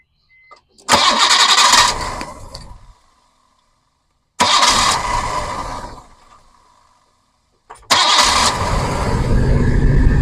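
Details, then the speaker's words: Engine takes three attempts to start, shaking hard on the first couple before settling to a rough idle. There is a slight ticking noise, and an audible vacuum leak toward the back is suspected as the root of the problem. "So, it takes three attempts to start this guy. shakes pretty hard on the first couple, but outside of that, I mean, there's a a flight ticking noise."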